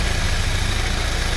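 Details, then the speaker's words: 1979 Porsche 924 warm idle after 10 minutes, fan running: faint rapid chatter over engine note near front accessories; owner suspects wobbling water pump pulley, possibly belt or alternator with new 3D-printed bushings, unconfirmed, will monitor. "Pulley's got a bit of a shake, maybe that's causing it. I don't know. I'll just keep an eye on it."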